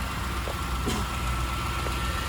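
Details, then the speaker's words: Convertible V8 5.7 with 145,000 miles, idling: low, even rumble with a steady beat and no knocking or stumble; normal idle. "до 3000 двигатель всего лишь крутится на холостых оборотах"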